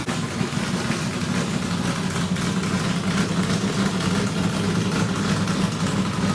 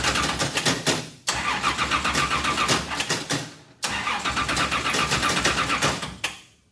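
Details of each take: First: Richard Petty race car, Pontiac-headed small block Chevrolet V8 with new fuel system, first run in years after priming: strong, even lumpy burble holding steady with no knocks or misses; good oil pressure, running normally. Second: Richard Petty race car, first start in years after new fuel cell install and carburetor bowl primed through the vent: three bursts of even starter cranking with sharp cutoffs, never catches; not picking up fuel, owner thinks maybe too much fuel.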